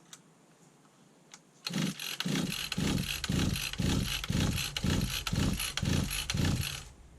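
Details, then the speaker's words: 1991 Victa VS19 straight-shaft two-stroke strimmer with its carb refitted: nine quick recoil pulls about twice a second, each a brief chuff with no firing, cranking freely without starting. "Right. We've got a little bit of a purr then. It fired. I've got life. Just didn't stay running, that's all."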